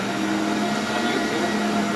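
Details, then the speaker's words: S.C. Johnson Vectron vacuum, about 20-year-old possibly original Ametek/Lamb motor: smooth steady whir at constant pitch, no rattles or grinding; normal vacuum motor run. "Oh, yeah. Sounds like a Phantom. It's got that um signature kind of whirring and Ametek motor sound."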